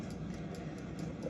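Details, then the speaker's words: In-wall spring-wound fan timer after repair (gears lubricated, dust blown out), after fan shutoff: soft, even ticking about four times a second with no hesitation or grinding, relieving spring tension; mechanism running freely as it should. "And you can see here that the clicker is still running, which is a good sign. Should run for a little bit after the fan shuts off just to relieve all the spring tension."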